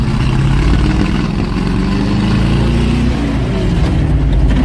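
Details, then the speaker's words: 1978 Ford F-600 V8, cold start at -22°F, hot-wired: deep V8 revved hard to redline then dropped back cleanly, no knocks or misses; healthy, normal revving. "The thing sounds like an LS swap."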